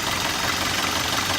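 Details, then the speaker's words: 1971 Alfa Romeo GTV during pre-purchase inspection, engine bay: warm idle with harsh clattery diesel-like rattle, noisy since first start; engine knocking at idle, cause unknown, no smoke seen. "that time the when I first started the engine it almost sounded like that diesel so it's kind of noisy"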